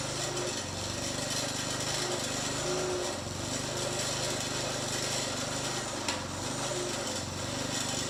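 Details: Briggs & Stratton 3.5hp front-tine tiller after carburetor diaphragm replacement: a quiet, steady small-engine putter at even speed with no surging or misfire, so it is running normally.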